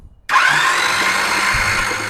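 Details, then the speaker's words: 1976 Chevy Nova drag car, rusted out and sitting for years, with the starter hotwired. The starter cuts in with a steady whine and the engine turns over freely and evenly. Normal cranking. "yeah sounds freaking good to to me"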